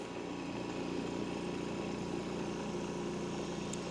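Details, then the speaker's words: New Eastwood QST 3060 scroll air compressor first start after plugging in: quiet even hum with faint steady whine, no knocking or rattle, building pressure normally. "We're going to wait till it cycles up and builds a little bit of pressure and then shut it off and check for leaks."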